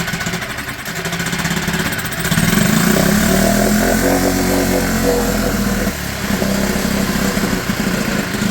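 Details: Mercury/Tohatsu 4hp four-stroke outboard, after a no-start, on a little choke following carb cleaning, jet blow-out and fresh petrol: engine catches, rises in pitch and settles into an even, steady putter; running healthily.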